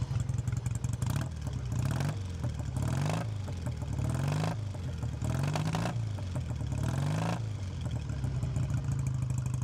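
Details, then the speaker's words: Classic British twin, BSA A7SS, still needing much warming up, idle screwed down after running fast: even, steady idle with a little revving, smooth, no tapping or ticking; normal idle. "Yeah, sounds amazing. Love the sound of these British twins. Still needs a lot of warming up, but the engine's nice and smooth as well. You can have a little listen to that. No nasty tapping or anything."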